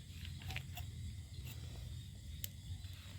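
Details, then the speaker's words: Yamaha Mio/Nouvo/Fino carbureted belt-drive scooter on its center stand, frame rocked side to side: irregular light clunks and creaks from play in the worn left and right engine mount bearings, the main cause of wobble and noise rather than the rubber bushings. "ทีนี้เวลาเราโยกนะครับขาตั้งคู่ขึ้นไว้แล้วโยกที่โครงรถแล้วมันโยกได้เนี่ยนั่นนะครับให้สังเกตดูส่วนใหญ่มันจะเป็นที่ตัวลูกปืนนี่ครับ"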